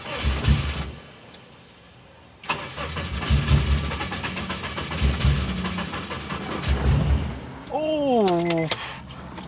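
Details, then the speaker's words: Long-dormant car being revived, fuel pump primed, cranking: starter churns in steady bursts and engine coughs as if about to catch but never runs; almost starts, battery to be recharged; no-start, cause unknown. "oh almost started right there almost almost almost started right there"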